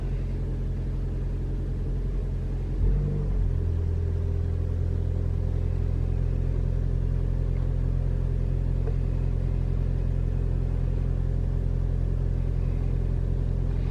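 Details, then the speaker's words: 2021 Toyota RAV4 Prime SE in hybrid mode, cold start at 57°F with climate on auto, AC off and radio off: engine catches and settles into a steady, even low rumble with no heat pump noise; normal start and idle. "See, immediately you hear the engine turn on. It's 57 degrees outside. It's pretty cold, but not super duper cold. All right. Yeah, it's cold, but I don't hear anything. All I hear is the engine."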